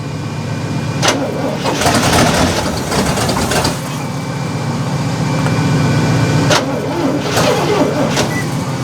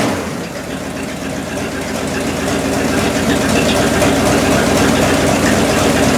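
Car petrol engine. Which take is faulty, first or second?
first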